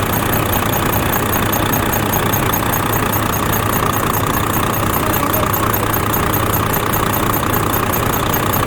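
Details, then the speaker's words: Volvo FH13 diesel idling after a rocker arm replacement. A faint, regular high squeak about 150 a minute under the valve cover, toward the front, over the diesel clatter. At first it was thought to be the belts. Rocker arm squeak. "приехала со скрипом из под клапанной крышки как скрипит сейчас я это все вам покажу"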